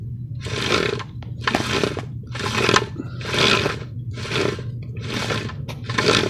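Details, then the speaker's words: 1999 Mercedes ML430 growling/clunking only on acceleration: rough bursts about once a second over low engine hum, caused by a slack transfer case chain rubbing its guide; chain replacement needed. "okay 99 Benz ml 430 growling on acceleration"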